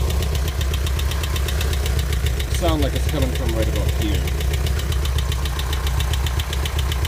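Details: 1984 Volkswagen Vanagon engine, fine the day before: steady, evenly spaced fast ticking knock over a low idle rumble; cause not yet known.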